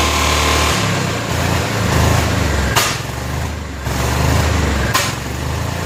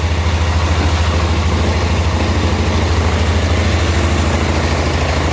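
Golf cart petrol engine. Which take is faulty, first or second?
first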